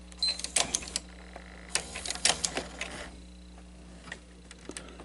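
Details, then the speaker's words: 1991 Sony SL-HF2100 Betamax VCR with a jammed loading ring and possibly sheared teeth: short bursts of small mechanical clicks and whirring ratchets, then stalling quiet; the tape loading mechanism jams on play. "it's jammed up"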